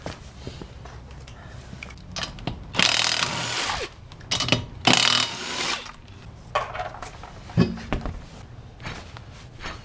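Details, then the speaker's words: 2007 Honda Civic LX coupe, rear hub spun by hand with no play, after a road test gave an airplane-like hum that grows under load: rough gritty grinding in bursts; bad rear wheel bearing, hub bearing unit being replaced. "okay when you spin it you can hear that even though even though without lower you still hear it so i'm going to replace the rear wheel bearing right here"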